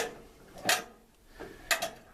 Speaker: the timer as you can hear is clicking i'm gonna push this again it won't start